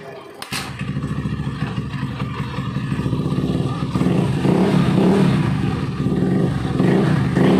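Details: Honda Beat carburetor scooter after fixing rattling CVT noise by refitting CVT cover support boss: revs up smoothly, steady engine note rising in pitch, no rattle from belt drive; CVT now quiet and healthy.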